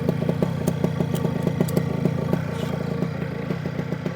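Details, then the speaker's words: New OpenPPG SP140 V2.0 paramotor two-stroke after a slight idle adjustment, on a 5-minute break-in idle run, 40:1 Motul with ethanol-free gas: quick, evenly spaced popping beat holds steady with no misses or surging; a clean idle. "that's pretty good Let It Go for about 5 minutes right now just going to do that at"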